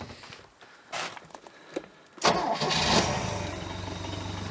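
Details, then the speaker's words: 1973 Larson boat, MerCruiser 120 hp 2.5L carbureted engine, dead cold after over 50 hours sitting, choke shut: brief cranking, then catches and settles into a steady even idle with no misses or knocks; normal cold start. "yep that's it baby she's a runner that's from dead cold over 50 hours of sitting"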